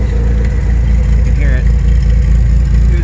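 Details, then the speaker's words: 1992 Toyota 4Runner 3.0 V6, warm, after head gaskets and an EGR delete: lumpy, uneven exhaust beat with a stumbling, misfiring idle; it runs okay under load; a loose plug wire was found earlier. Cause not yet found. "and it's stumbling it's i don't know exactly what's going on here"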